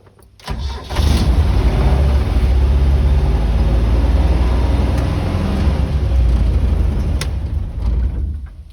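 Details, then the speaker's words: Land Rover Series 2A on first start after a new carburetor needle and seat: starter catches and the engine runs loud and lumpy instead of idling steadily; owner suspects the choke, not confirmed. "doesn't sound right must have just been the uh choke being on"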